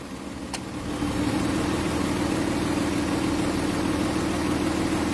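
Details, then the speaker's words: Dodge Durango idling with a faint quick light tick about four per second from a tapping hydraulic lifter, recorded before adding Forte additive treatments during an oil change and flush. "Co tutaj się dzieje słychać popychacz stuka więc spróbujemy mu pomóc wlewając jeden środek następnie drugi środek"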